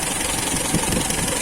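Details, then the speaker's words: Toyota K-series engine idling with ignition timing set to 8 degrees (8–10 degrees checked with timing light): steady, even idle, smooth low hum, no knocks or misses; normal idle, timing correct. "So kailangan kasi paandarin natin. Ayan, so naka-andar na siya, 8 degrees siya."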